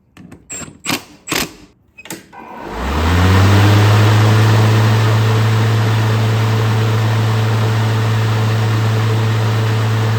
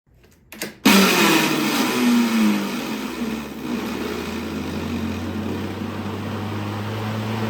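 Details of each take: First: Craftsman V60 electric lawnmower after replacing the worn plastic fan that caused a loud racket on startup: a few clicks, then the motor spins up to a steady, even hum with no rattle or scraping. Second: Craftsman V60 electric lawnmower at startup and shutdown. Harsh rattling scrape with a falling whine, then a rough drone; the owner first suspected a bearing or brake. The cause was the worn plastic cooling fan rubbing. Cooling fan rubbing.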